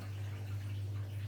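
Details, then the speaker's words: Zanussi/Electrolux washing machine (IZ/XC range) in service mode, empty drum, drain and spin test checking pressure switch zero, drain pump and motor: steady low hum, nothing rough or rattling; drain pump running normally. "next up is the drain and spin test this will make sure the pressure switch is calibrated correctly for zero and it will also make sure the drain pump and motor are fully working"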